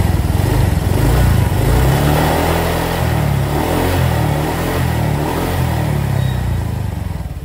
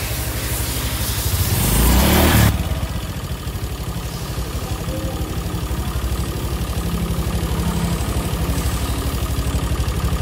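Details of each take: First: Honda Vario KZR scooter after major service, worn valve guides replaced: steady, smooth idle with the former top-end ticking gone. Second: Honda Vario (KZR) scooter that also overheats easily, idling with a rough, rapid valve-train ticking; the valve guides were worn loose and the intake and exhaust rocker arms had been installed swapped.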